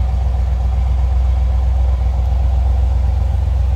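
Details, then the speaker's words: 1971 Chevrolet Corvette coupe, numbers-matching 350 V8, two-owner car: deep steady burble with even beat, no knocks or misses, nothing too loud, nice little rumble. Normal idle. "Good sounding car, nothing over the top, nothing too loud. Nice little rumble coming out of that 350."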